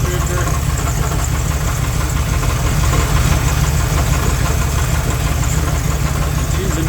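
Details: 1984 Dodge Ramcharger 360 LA V8, water pump belt disconnected, good oil pressure: rough idle with a loose, uneven knock under the exhaust rumble, persisting when revved. Caused by incorrect front counterbalance plus counterweighted torque converter. Engine knock from imbalance.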